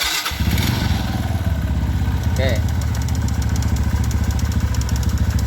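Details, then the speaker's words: Kawasaki ZX before carburetor repair: engine catches and holds a fast, even idle that won't settle down, worse when hot, when it won't idle at all; idle stuck high from carburetor trouble: water, loose needle, leaking pilot screw seal. "Oke ya masih tetap tinggiangkut terus apalagi mesin panas malah ndak bisa langsam sama sekali ya teman-teman"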